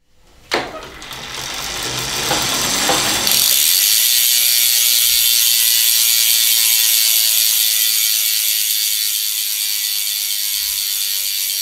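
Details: DT Swiss 370 3-pawl hub, E 1800 Spline wheel on 2020 Canyon Endurace CF SL 8.0, spinning freely: fast, fine, even ratcheting buzz easing as wheel coasts down; normal freehub clicking.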